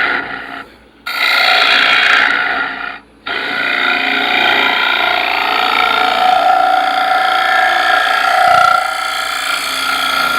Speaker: Do you hear the little chirping vibration type noise? That tells me there's a crack in here somewhere.